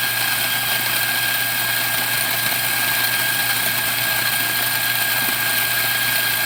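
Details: Macap M4 coffee grinder after service. It had stopped grinding because it was clogged with dirt, so it was cleaned inside and out and its broken adjustment knobs were replaced. It now runs with a steady, even high-pitched whir and grinds properly.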